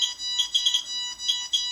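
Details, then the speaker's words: Portable radiation meter (QSAFE QSF-104, RADEX or Smart Geiger) with alarm on: rapid repeated high beeps over a thin tone signal an elevated dose reading. "이 소리가 아주 반복되게 삐삐삐삐삐삐삐 하고 들리면은 방사능 수치가 높다는 거죠. 어떻게 보면 선량이 높다는 겁니다."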